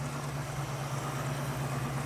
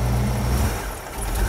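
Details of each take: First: 1967 Mustang engine with DUI ignition after tuning to cure a dead miss, idle checked on vacuum gauge: even steady idle, smooth low rumble, no misses or knocks; idle fairly steady though set as low as adjustment allows. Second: 1967 Mustang with a carburetted engine, revved during tuning: revs sag and go soft for a moment mid-blip, then pick back up; a stumble on acceleration suspected to be an accelerator pump problem, with a slight miss also present.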